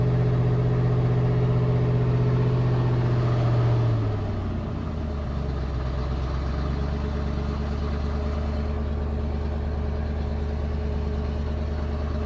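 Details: 1991 Ford F250, rebuilt 351 Windsor V8 converted from EFI to carb, E4OD, just started and warming: idle drops sharply, then settles low and uneven with a wavering beat; rough idle, possible miss, idle screw to be adjusted.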